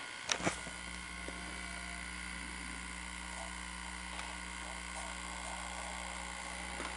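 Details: Sony SL-S600 Super Beta VCR playing a tape after repair, capstan motor driving the capstan and take-up and supply reels: a faint, steady motor hum with a couple of soft mechanism clicks, smooth and even. Normal playback.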